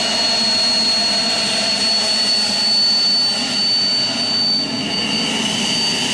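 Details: Homemade jet engine (gas turbine) built from a turbocharger, propane-fuelled student project from May 2005, run with afterburner: steady high whistle over a loud even roar, no sputter; running cleanly.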